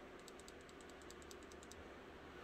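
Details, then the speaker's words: CS Knives Espada XL folding knife with upgraded blade, no rattle when open: faint light metallic ticking, about a dozen quick clicks then quiet, blade rattling loosely while held; cause unknown. "I'm holding the blade and everything I've never heard of Coastal Life do that so it's got me worried"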